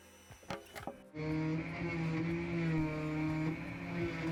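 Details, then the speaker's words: Carvera CNC cutting a jewelry box. A steady spindle whine with a rough, uneven cutting rattle: the feed is too fast and the cut too deep. This broke a bit; the fix was a slower feed and a shorter bit. "You can hear on the machine that it was cutting a little bit too fast and the cut depth was a little bit too deep."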